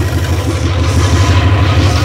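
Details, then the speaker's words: 360 Magnum V8 on run stand, first run, timing set to 13° BTDC initial after backing off for slow starting: even steady low idle, smooth firing, no knocks or misses; normal idle, minor drain-plug and freeze-plug leaks noted. "so after playing with the timing a bit she's at 13° before top dead center now for initial timing and I'm all right with that sounds like she's running good"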